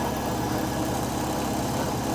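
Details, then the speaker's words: Hot rod Model A coupe's four-cylinder engine, started after long storage, idling steadily with a busy clattery rattle through a rough low rumble; it leaks oil down the back, possibly blow-by, and a very loose PCV valve hose may cause a vacuum leak. "but it's got some kind of rattle like I said it leaks oil down the back it's not the oil pressure setting unit it might be blowby out of the back of the valve"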